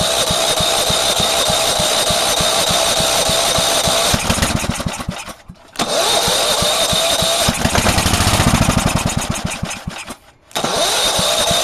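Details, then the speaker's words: Go-kart lawn mower engine that is always hard to start, with carb gas drained after about five months sitting: catches and runs ragged for a few seconds, then dies, twice; won't stay running, compression test planned. "she just doesn't want to stay going if you remember with this motor it's always hard to get started but once it's running once it's good so at least it's still still will run"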